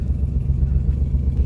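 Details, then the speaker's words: Infiniti G35 coupe (VQ35DE) after aluminum valve cover swap and throttle body spacer fitted: lumpy, uneven low idle pulsing with dips, revs dropping as if dying; misfire suspected, cause unconfirmed. "So I have the car pulled into the garage right now, and it is dying. The RPMs are dropping low. I don't know what's going on."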